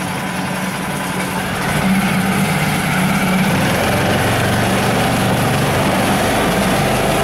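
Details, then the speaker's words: New Yamaha 4-stroke 5hp (6hp) outboard on its first start, at idle. Steady, even low burble with no ticks or knocks. No extraneous sounds; normal idle. "в общем yamaha как yamaha никаких посторонних звуков не слышно"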